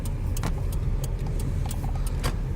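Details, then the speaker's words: 2001-04 Chevy Optra driving after replacing the CV axle with the torn boot, first suspected to be the strut: steady road rumble and light interior rattles, no clunk, so the fix worked. "Oh. I think it's already fixed. No more sounds."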